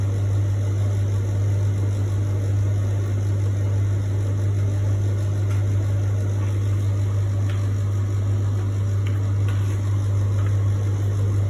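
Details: Beko appliance making a loud, steady low hum without letup, with only a few faint clicks on top; cause unknown.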